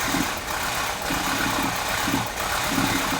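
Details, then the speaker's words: 1984 Porsche 944 after wiring repair, idling: uneven idle surging and hunting with irregular stumbles from an intermittent misfire on cylinder number two only. "is just having an intermittent misfire and you hear this thing surging and hunting now if I go on any other plug it is just number two"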